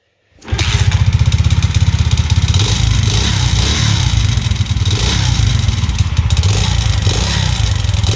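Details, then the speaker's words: Alpha/Delta/Vento moped, engine rebuilt to 110cc a month ago with a Chinese piston kit: loud, fast metallic top-end rattle at idle, seemingly worse than right after assembly; piston to be replaced with original, cause unexplained. "он очень сильно бренчит и такое ощущение что до этого он бренчал меньше когда я только собрал его в том видео где я проводил сравнение этот стук Я тоже показал"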